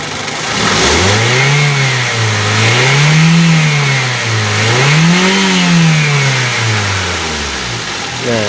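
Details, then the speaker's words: Used car engine free-revved firmly: climbs and falls in smooth swells, no knocking ("KK") or rattle under throttle, revs strongly; healthy free rev. "itu tidak ada bunyi KK ketika digas ya dan kencang"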